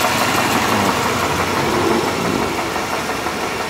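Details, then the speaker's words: Engine idling, heard from underneath the car: a fairly smooth idle with a steady rapid tapping about three a second; a rod knock, worn connecting rod bearing. "yeah it's a rod get it all fixed up only advantage of the hoarding Parts I'm pretty good though for having a rod problem"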